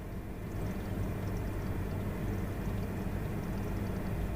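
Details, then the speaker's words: New Toyota Prius, 2.0L naturally aspirated four-cylinder, with air conditioning on and the fan at 3 or above: faint watery trickling and gurgling behind the dash under the blower hum, like someone peeing behind the dash. "It sounds like there's someone behind the dash taking a piss."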